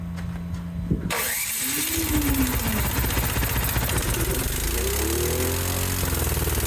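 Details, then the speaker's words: Cub Cadet 528 snowblower after carburetor repair, on electric start with the choke on: catches within a second and runs fast, high-pitched and surging, suspected over-revving; owner plans to check the linkages. "Well, It's a ripper. Sounds like maybe it's over revving."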